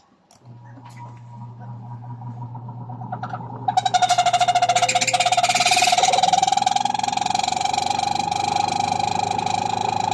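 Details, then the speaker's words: Single spin dryer (spinner) that sat stored unused, with a noise complaint: motor hums, then loud squealing, rattling whine as it spins up; dry, rusted motor bearing, to be fixed by oiling under the motor top. "so Ayun maingay nga kaya ang gagawin lang natin diyan guys ay lalagyan natin ng y oil"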